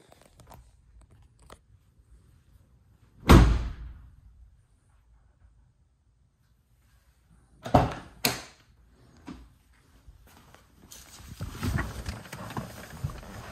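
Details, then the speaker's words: Mazda RX-7 FD door after installing sound deadening insulation: three shuts, each a single dull, deep thud with no tinny ring or rattle; now sounds like a modern car apart from creaking door plastics. "It's so good. Sounds like a modern car. You know, except for the creaking door plastics."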